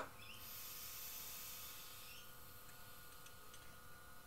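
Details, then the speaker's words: Datsun 240Z L28 stroker, Hitachi SU round-top carburetor float level being reset to factory spec: air blown through the float needle valve hisses, then cuts off after two seconds as the float rises; the needle seats and seals properly. "I'll blow on it and I'll lower it, bring the float up to where it's got to be, and you should be able to hear the air coming out of the jet and gets closed off."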